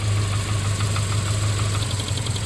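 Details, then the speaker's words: 2009 Subaru Forester 2.5 at idle: sharp, regular metallic bottom-end knock. With a different plug wire pulled the engine misses but keeps knocking, and it is unchanged when plugged back in; the knock is traced to the rear cylinder. Rod knock. "It'll continue to knock, but it'll miss. See, it's missing, but it's knocking. Now let's plug it back in. Yep, see, no change in the sound."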